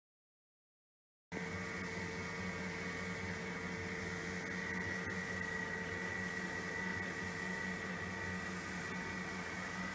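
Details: Normal running after bearing replacement on a PRO-FORM Cardio Strong treadmill (PFTL71013.0): quiet, soft even whir and faint steady hum, no grinding or rumble; previously sounded horrible from bad bearings.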